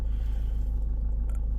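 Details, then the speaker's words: 2012 Range Rover Evoque 2.2 diesel after a start fault fix: starts straight up with no warnings except low fuel, then a steady, even low rumble with no knocks or misses; charging at 14.8 V. "Fire straight up, look. No warnings other than low fuel."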